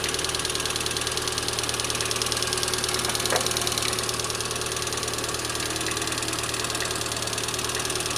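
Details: Lada 21124 engine at idle: fast, even light ticking from the top end throughout; hydraulic lifter tapping.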